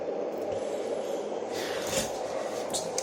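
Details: Dohm sound conditioner (white noise fan), unused about five years and dusty from wall drilling, after strip-down: smooth even rushing air with no rattle, scrape or wobble; fan running healthy.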